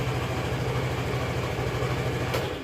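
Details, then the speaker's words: Fuel-injected motorcycle after running out of fuel, restarted after switching the ignition on about five times to let the fuel pump prime the injector: steady, even single-cylinder idle with no stumbling or misses. Running cleanly. "Nah kalau sudah dikontrakkan lima kali seperti ini Ini pasti langsung nyala"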